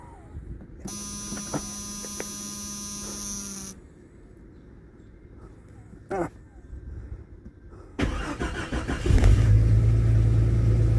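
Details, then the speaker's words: 1995 Jeep Cherokee with a failed ignition switch, temporarily bypassed by plugging the switch connectors by hand in a cold Michigan February. The warning chime rings, the starter cranks about a second, then it fires and settles into a steady, even idle. "and voila, she runs."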